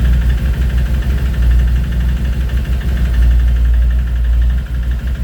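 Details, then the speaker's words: Scooter engine idling after its 2500 km service (valves adjusted, variomatic cleaned, belt checked, oil and filters changed): a loose, irregular light clatter rides on a steady low idle. The mechanic cannot find the source of the engine rattle. "aber trotzdem ist in der Maschine ein Klappern oder ein Dagern am Motor und er weiß nicht, woher es kommt."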